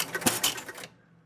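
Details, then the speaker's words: Spirit of 76 electromechanical pinball: on start the score motor turns only about 120 degrees, brief relay clacks with big thumps from the two drop target relay banks and the rollover main relay bank resetting, then silence; won't start, score reels don't reset. "So it goes for 120 degrees, and that big thumping noise are going to be the two drop target relay banks resetting, and of course the main relay bank for the rollovers."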